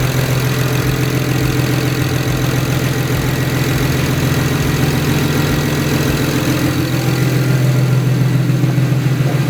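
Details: 2008 BMW 135i, first start of a freshly installed new motor with a single turbo kit, in cold winter weather: steady, even idle with a smooth low rumble and no knocks or misses; the engine is running healthy.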